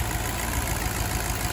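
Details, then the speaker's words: 2009 Infiniti FX50 V8 with a P0301 cylinder misfire, idling after sitting overnight and driven under a mile. Uneven, lumpy idle with a lope and stumble; bad coil packs are the common cause of this misfire. "Yes, the Nissan V8s have a little bit of noise going on, but I can hear that lope going on."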